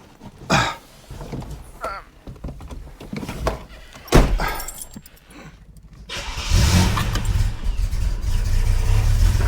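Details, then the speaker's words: Totally cold engine, not run since the previous day, just swapped back to the newer Weber carburettor with fresh brake fluid: a few handling clunks, then catches quickly and settles into a steady idle; normal cold start. "Well, look, I'm going to take that every day. That wasn't a setup. That absolutely was not a setup. I have not started this car. That hasn't run since yesterday. This is a so much better engine."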